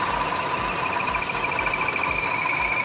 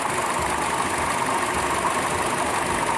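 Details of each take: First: Buick Encore Ecotec 1.4L idling with a steady high chirp/whistle that got louder when the PCV was covered by finger; faulty PCV valve suspected as culprit, with high long-term fuel trims and check engine light. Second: Buick Encore Ecotec 1.4L after valve cover/PCV valve replacement: steady, even idle under smooth rushing AC cooling fan noise, no PCV whine, wheeze or knock.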